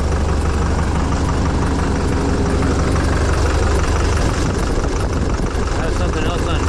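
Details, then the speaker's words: 2007 Chevrolet Duramax diesel after a white-smoke no-start, glow plugs just reconnected, reduced engine power: heavy low idle with an uneven, loping beat about twice a second. Suspected misfire; rail pressure is high and a fuel pressure actuator problem is suspected. "engine power is reduced but it's running he is running even sound like it's hitting on all those"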